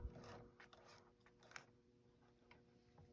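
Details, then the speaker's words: Necchi Esperia sewing machine after fixing frozen feed dogs (a loose screw was tightened, and the owner suspects the pin was not popping enough): in a quiet room a single light click is heard as the pin seats, and the feed dogs are back up, engaging normally. "So if you go like this, you hear that click? Now the feed dogs are"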